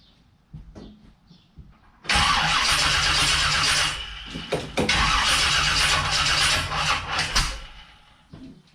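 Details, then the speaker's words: Engine with HEI ignition and a new fuel pump push rod, run for a long while without an alternator: cranks into a rough idle with a sharp metallic clack about three times a second. Owner suspects a wrist pin, possibly cylinder number two; intermittent engine clack. "so i let the engine run for quite a while when i did it just now and it uh you can hear it so i think it's a wrist pin at this point which means the engine is going to have to come out and come apart"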